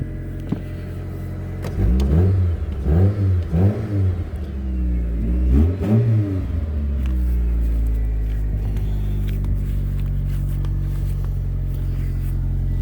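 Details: 1999 Mitsubishi Pajero Pinin/iO after replacing bad high-pressure fuel pump that caused crank-no-start: quick rev blips rising and falling cleanly, then smooth steady idle; normal revving.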